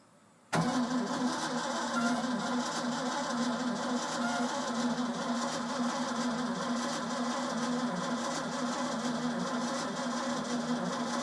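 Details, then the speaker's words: Old Ford F-600 after a fuel pump replacement and plug change. Starter churns evenly for over ten seconds but the engine never catches. Gas smelled at the exhaust, so fuel is getting there; owner concludes no spark, cause not yet found. "yeah so apparently she's not sparking so so I guess my next steps gonna be figuring out why we're not getting spark"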